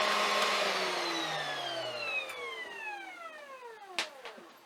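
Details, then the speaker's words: Air-cooled CNC milling spindle at 12000 rpm: loud airy rush from its rear cooling fan with a high whine sliding down as it coasts to a stop; normal fan noise, louder than a larger water-cooled spindle. "Bir de bunun gürültüsünü arkadaki havayı sağlayan pervanedeki gürültüyü dinleyelim"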